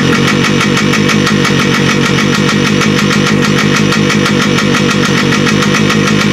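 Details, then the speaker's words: Carbureted RT motorcycle just revived, leaking fuel petcock: loud rapid even popping at idle, never picks up revs, won't take gas; owner suspects carburetor needle not lined up with its hole. "I say it's not running right, it won't take the gas."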